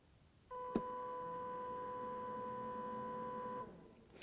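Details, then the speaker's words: ALLPOWERS S2000 2000 W portable power station with 1500 Wh lithium-ion battery: cooling fan kicks on with a steady, fairly high whine holding an even pitch for about three seconds; loud enough to be annoying indoors, but normal. "So when I talk about the noise this fan makes, you'll hear it when I just turn this on."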